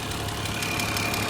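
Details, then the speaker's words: Older BMW petrol engine idling cold with a fast, light tapping over the idle; ticking, source unknown. "But I'm going to let it run for a little bit and we'll see what if anything changes. Now, this is the ticking I was talking about."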